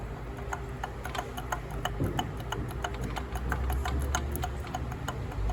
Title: Barulho no motor YES 125